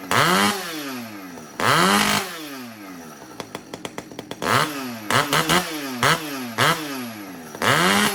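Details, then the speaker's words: Husqvarna 575XP chainsaw with a newly fabricated exhaust pipe replacing the failed muffler mod; loud, raspy blips falling away unevenly with a stuttering, burbling idle, quieter than the straight pipe; the carburetor still needs tuning. "Well, as you can hear, I got a little bit of tuning left to do, but yeah, it's loud. It's not horribly loud, certainly not like that straight pipe being on there."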